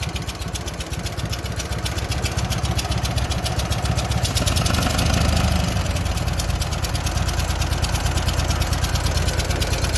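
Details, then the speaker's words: Walker mower twin-cylinder engine idled down, one side previously helicoil-repaired: sharp, rapid chuffing on every firing pulse like escaping gas; sounds like an exhaust leak, possibly internal engine problem, not confirmed. "Ooh, that doesn't sound good. That doesn't sound good at all. Sounds like there's an exhaust leak."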